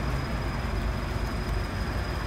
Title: Very loud cricketing of the high pressure fuel pump on the Subaru FA20 Toyota GT 86